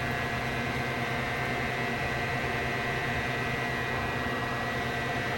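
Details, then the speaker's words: Tektronix 547 oscilloscope cooling fan, blades cleaned and reinstalled: a steady, even rush of air over a smooth motor hum, with no ticking, rubbing or wobble. The fan is running normally. "And it's moving air. Great."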